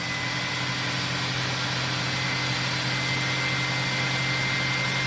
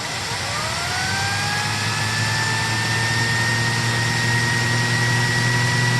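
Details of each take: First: 2006 SEBO Airbelt K2 vacuum during airflow and suction testing: loud constant rushing airflow with a steady spinning hum as the turbo brush turns freely; normal turbo brush operation. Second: 2006 SEBO Airbelt K2 vacuum on high power during a sealed suction test: the motor whine climbs then holds high as airflow is choked and the turbo brush stalls, reading around 18.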